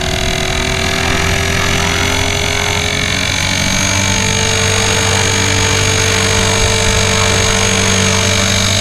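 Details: Blade 360 Fusion RC helicopter in flight (Spektrum DX6i, autolevel on), flown with sand in the spur gear: loud steady motor and rotor whine with a harsh gritty rasp, gear grinding from debris in the spur gear.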